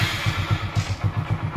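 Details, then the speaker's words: Hero Super Splendor single-cylinder bike, after refitting the self-starter motor that previously wouldn't start despite a fully charged battery: starter catches and the engine settles straight into an even putt-putt idle of about eight beats a second; starting normally. "দেখতে পাচ্ছেন আমাদের bike পুরো সঠিক ভাবে self নিয়ে নিল"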